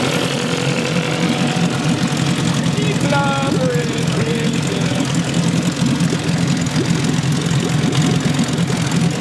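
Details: 1963 Evinrude 5.5 HP two-stroke outboard after the problem was fixed, idling in gear with good water pee stream: steady even burble, smooth idle, no misses or hunting; running cleanly.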